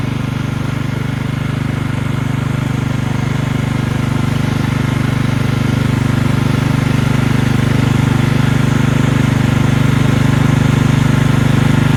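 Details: Single-cylinder engine on belt-drive hauler after fixing carburetor flooding from a non-seating needle (gas out the muffler): steady, even pulse at high throttle, no surging or sputter; runs clean, no fuel leaks.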